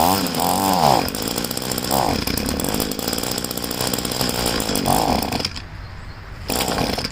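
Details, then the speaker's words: String trimmer being winterized after draining its tank, restarted on choke to burn remaining fuel; it sputters and surges in uneven bursts, then dies as it starves, leaving carburetor and fuel lines empty: engine running out of fuel. "All the gas is out of the carburetor and the fuel lines, so that's ready to put away."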